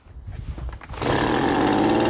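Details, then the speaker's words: Poulan Pro two-stroke leaf blower after a new muffler and fuel filter: it fires and climbs to a steady high buzzing run with a noticeably muted exhaust, much quieter than before. Normal running. "it's so much better so there we go that's how to replace a muffler on your Poulan Pro leaf blower"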